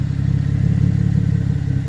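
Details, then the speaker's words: 2014 GMC Arcadia 3.6L AWD, heard from underneath: deep, rapid puffing rumble pulsing with firing from an exhaust leak where the intermediate pipe after the cat converter rotted and separated at the flange. "Customer complaint is an exhaust noise from coming underneath."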